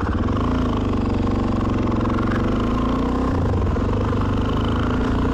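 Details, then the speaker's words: Suzuki DR-Z400 after swapping the Mikuni carb for a knock-off, removing the inline filter and leaning the air screw: an even single-cylinder idle with a steady low thump, no hunting or high idle. The muffler is worn, with slight backfire afterwards. "But the idle's good. RPM's good at idle. There's no high idle."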